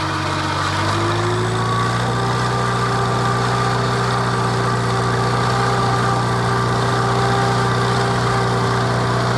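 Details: 1949 Farmall Cub: a steady, even engine note settling into a smooth, constant run with no knocks or misses. Normal running.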